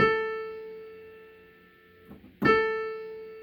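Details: Casio PX-850 digital piano, which pops on A5 and Ab5: after an octave shift the same physical key plays a clean note twice, ringing and fading with no pops. The fault is traced to the synthesis processor, not the key.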